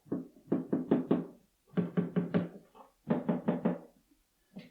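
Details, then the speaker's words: DIY Janko piano action with hard felt on the hammerheads: hollow wooden thumps in quick bursts of four or five as keys are played, about twice as loud as a digital piano. Hammer knock; quieter felt planned. "the hammerhead felt in the back here needs to be replaced with something a tiny bit quieter. At the moment, just to have a listen, it's not exactly noisy, but it is hearable."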